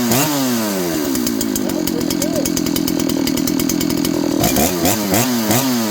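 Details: John Deere CS81 chainsaw: snaps up cleanly, holds a steady high scream at full throttle, then drops and blips crisply with no stumble; running healthy.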